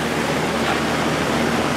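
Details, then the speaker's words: Early-80s Sears box fan with plastic Marco motor, after oiling a seized motor, on high speed drawing 2 amps (rated 2.2): only a smooth rush of air, the motor almost silent with no hum, ticking or rubbing; it runs normally. "wow this thing doesn't make any that motor doesn't make any noise at all"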